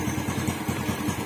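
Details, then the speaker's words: Raider J115 Fi back on stock parts after stator repair restored charging: a small single ticks over at a steady beat with no fuel pump whine or drone, which earlier likely came from low power; healthy idle. "Wala, nawala yung ingay ng pump. Ayan, hindi pala sira yung pump natin."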